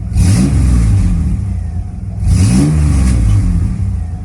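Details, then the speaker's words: Recently bought Camaro with stored fault codes: two throttle blips rise and fall unevenly with a ragged note; the engine idles smoothly but runs rough when revved, which the owner hopes new spark plugs and a fuel filter will fix. "idle smooth when it does start and it sounds pretty decent but it sounds like this"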